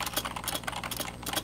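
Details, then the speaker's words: Old rubber dome keyboard: quick typing clatter with sharp loose clacks, spacebar stabilizer wire rattling; fixed by greasing the stabilizer. "and then when I have to press space bar it's this annoying rattling sound that I hate so"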